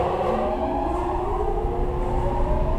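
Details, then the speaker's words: Downdraft spray booth with 600 V three-phase intake and exhaust fans starting up: a low, steady rumble that climbs smoothly as the fans spin up, with no squeal from a bad bearing or a slipping loose belt. Sounds normal. "when you hear it fire it up and start you have to listen right because you don't want to hear any squealing it could be a bad bearing it could be a loose belt that's slipping as it's trying to turn over the fan"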